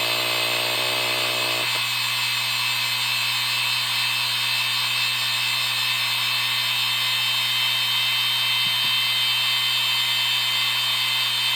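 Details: IBM Deskstar 120GXP 123.5GB 7200 RPM hard drive, 3 platters, spin-up/spin-down: steady high-pitched whine above the hum throughout; worn spindle bearings.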